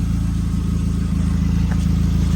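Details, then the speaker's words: 2006 Nissan Sentra idling before repair: loud, rapid low puffing from an exhaust leak at the flex pipe (expansion joint). "I found some leak coming from here [Music] expansions you can call the expansion joint here this is the sound before the world before the repair"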